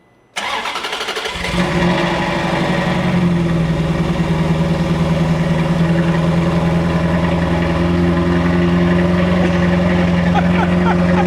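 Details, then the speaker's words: Ferrari 360 with no check engine light, after a dead cylinder 7 ignition coil was replaced and the cam timing corrected: a lumpy idle after start-up that never smooths out, even warm, and stumbles on throttle. A misfire remains. "No. No, it's definitely got a misfire."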